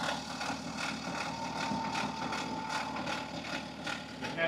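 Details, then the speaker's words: February 2014 BMW F15 with N57 diesel, 184,000 miles, idling. Lopey, rhythmic metallic rattle, about two to three beats a second, locked to engine speed. This is a stretched timing chain, caught before snapping. "It sounds very lopy, kind of like it has a dam in this car. So this is exactly what stretched timing chain sounds like on your BMW diesel."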